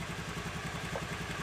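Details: Honda Vario scooter whose starter only clicked like a weak battery, started after jumping the starter relay wire: small single-cylinder engine ticking over evenly at a steady quick beat, no misses or knocks.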